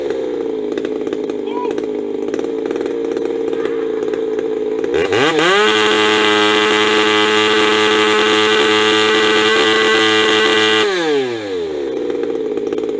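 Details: Warm Ironhorse 372 chainsaw, coil with no rev limit: idle, then a quick rev to wide-open throttle holding a steady high scream about five seconds before dropping back; clean, slightly rich, healthy run.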